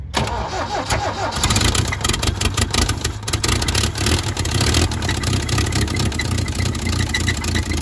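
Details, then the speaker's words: 1972 Toyota Celica 18RC, first run in 26 years after a carburetor rebuild: cranks, catches and settles into an uneven, lumpy idle with a ragged, rattly edge; running rough, cause undetermined. "wow that sounds bad sounds like a warren baron a rod knock exhaust leak shitty carburetor bad engine"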